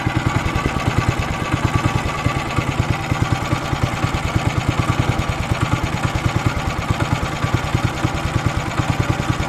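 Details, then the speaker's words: Weima single-cylinder engine idling with uneven beats and revs drifting up and down, unable to hold steady speed; carburetor suspected, possibly the speed governor; cracked fuel line found, carburetor cleaning planned. "Як ви зрозуміли що є поломка де будемо шукати оберти плавають скорше за все це карбюратор але може бути таке що і регулятор обертів теж вийшов з ладу"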